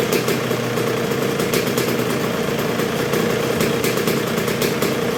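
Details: 1986 Honda CR125R two-stroke at first start and break-in after a new .060-over Wiseco top end: idles low and steady with light even crackle, no hunting or stalling, though not yet fully broken in; running healthy.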